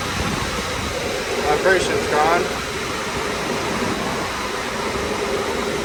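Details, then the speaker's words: Daikin commercial air handler serving an auditorium, after replacing blower motor and driven-side bearings: steady, even airflow rush with smooth hum and no rhythmic thumping or wobble; normal blower operation, much quieter than before. "Heck yeah. That's the best it sounds, that's for sure. We can actually have a conversation up here now."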